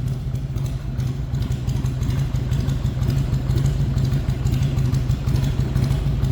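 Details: 1999 Harley-Davidson Heritage Springer, 22,896 miles, stock pipes with welded-on fishtail tips, in neutral: deep, loping V-twin thump at steady idle, even beat, no knocks or ticks; healthy normal idle.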